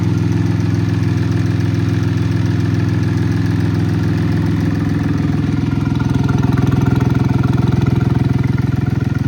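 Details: Cub Cadet Cyclops lawn tractor diesel idling after start-up, following lift lever install and an oil check; the oil light has gone out. Steady, even, smooth low chug with no knocks or misses; normal healthy idle.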